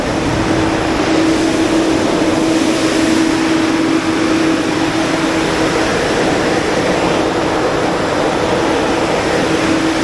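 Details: Generator during minor service, heat shield missing, cranked to demonstrate running: steady even engine hum, no knocks or misses, holding one speed under fan and exhaust noise; normal running.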